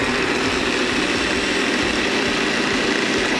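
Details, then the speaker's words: Late-1920s Black & Decker Super Service valve refacer motor (110 V, wick-oiled bearings, upgraded power cord), not used for a while, running with no belt fitted. A steady, even hum and smooth whir with no knocks or rubbing: normal running. "I can even turn it on, and you'll see it, the motor runs, fires up."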